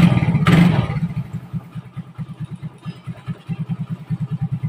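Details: Motorcycle with an electrolytic capacitor fitted across the battery, two weeks in use: fires on the first starter press, then settles into even, steady idle of regular exhaust pulses; normal healthy start and idle, battery charging reportedly better.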